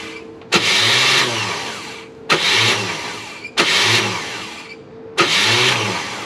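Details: Chevrolet Malibu small-block V8 after a new top end: four crank attempts of about one to two seconds each, churning without catching. The battery went dead and the starter is acting up, so a replacement starter was brought. The engine eventually runs.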